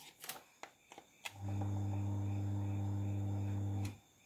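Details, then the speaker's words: Miyako electric fan that only hummed and wouldn't turn, now switched on at speed 1 after the sticking motor was lubricated front and back; the fuse was intact. A few switch clicks, then a smooth steady low hum, no grinding or stalling; the motor runs freely. "Oke kalau sudah saya Nyalakan teman-teman kita coba colokan dan alhamdulillah kipas sudah menyala dengan normal ya teman-teman kita coba speed 1"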